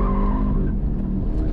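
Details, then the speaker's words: 2013 Camaro SS 1LE autocross run on Michelin Pilot Sport 4S street tires at 31 psi: steady engine roar with a high, wavering tire squeal through the corner; driver suspects the tires are slightly overinflated. "you could hear it still squealing a little bit which suggests that the tire's a little too inflated"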